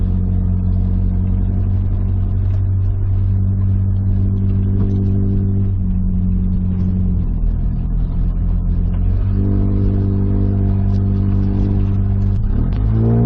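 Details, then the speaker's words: On its first test drive at highway speed after running out of oil and being torn down and reassembled, a 1994 Nissan Hardbody cruises with an even low drone and clean pitch changes as revs shift, with no tapping or knocking; it runs healthy. "Miles into the trip, we've hit highway speed, everything's good. I don't hear any strange noises, knocking, ticking, or anything."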